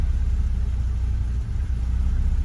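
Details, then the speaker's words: Car with a rewired aftermarket EFI (previously carbureted), after further tuning, spark advance reduced from about 20: low, even idle rumble with a steady beat, no misses or surging; stable normal idle. "Sweet deal, a little bit of tuning later and here we are. Pretty stable idle. We are looking good."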